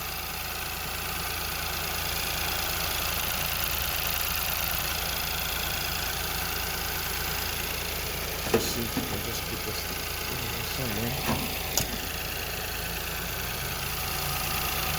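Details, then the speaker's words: Ford Fiesta with lean code P2187 at idle: steady airy hiss over the petrol idle, seeming to come from near the throttle body; vacuum leak suspected, to be checked with brake cleaner; dealer proposed injectors. "I don't know if you guys can hear that, but I'm hearing a leak. I'm hearing vacuum somewhere."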